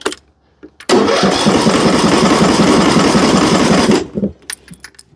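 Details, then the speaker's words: John Deere riding mower with Briggs & Stratton engine, reported as won't start after shutdown: starter spins it evenly about three or four beats a second for three seconds but it never catches; valve adjustment suspected. "It don't want to start. Well, they said wouldn't do nothing. And my my the way I understand won't do nothing means it won't do nothing. This one's doing something. It's turning over."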